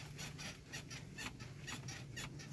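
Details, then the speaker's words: Hyundai Solaris, 22,445 km, hood and door misadjusted: short high creaks about twice a second as the panel is pushed by hand, worse on rough roads; body squeak from misadjusted hood and door. "этот скрипт пропадает на неровной дороге проявляется себя очень хорошо очень сильно"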